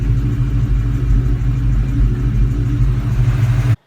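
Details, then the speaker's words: 2003/2004 Ford Mustang Mach 1 4.6L V8 after an IAC swap, idling nice and straight with a deep, even rumble and no hunting or surging; it later hung again once warm around town. "see here is the car idling nice [Music] nice nice straight Idol right work should be [Music]"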